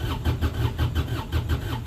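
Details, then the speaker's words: Kubota RTV900 three-cylinder diesel after glow plugs, in neutral: even starter cranking about four to five beats a second without firing; started with some throttle, later traced to leaking head gasket. "Come on, Betsy. Oh, she don't want to go. Let's do that again."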